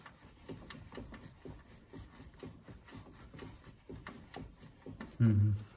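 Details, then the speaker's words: Lada Vesta at 55,000 km, right strut rocked by hand: dull, uneven knocks each time, worn loose upper strut mount bearing, to be replaced. "есть до какой-то стук странно что такое может быть 100 грамм здесь да есть стук подшипник падшими стучит болтается"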